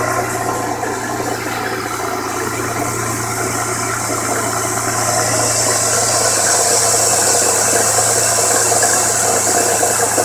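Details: 1998 Contour SVT V6 petrol engine, three weeks after purchase, running with a regular light knock, about four a second, over a steady hum.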